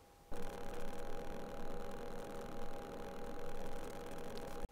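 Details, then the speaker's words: Rode VideoMic Go on a Sony a6400, before fix: rapid crackling clicks and pops over a steady whine from RF interference; cured by wrapping the mic body in metal duct tape. "super quick tip the rode videomic go plugged into the a 6,400 lots of interference loud clicking and popping"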